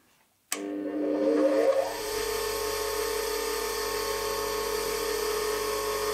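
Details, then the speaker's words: 8-inch/200mm bench grinder with wire wheel after noting run-out in warped steel centre ring and worn plastic bushes; spins up quickly to steady even hum, clean constant tone, no wobble or rubbing — runs beautifully. "that that runs beautifully there's no I can't imagine that really being any better than that"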